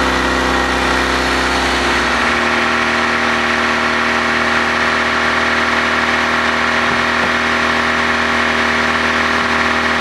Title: Honda Exhaust Leak